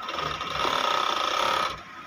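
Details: Siruba-type 747F overlock machine after resetting an over-tight needle thread and the thread antenna: quick, even mechanical chatter at steady speed with no catching or labouring, then a clean stop. It runs freely and stitches cleanly.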